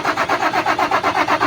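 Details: HOWO 400 diesel truck after repair of an injection pump hard-starting problem: quick, even cranking at about seven pulses a second fires cleanly into a healthy, prompt start.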